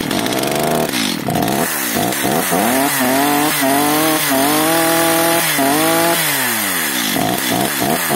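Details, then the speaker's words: Stihl MS 230/250 chainsaw after the L screw was richened one turn, while warming up. Revs surge and sag and won't hold idle. It runs better but still stalls; mixture possibly over-adjusted. "Jak widzimy pilarka pracuje lepiej jednak gaśnie"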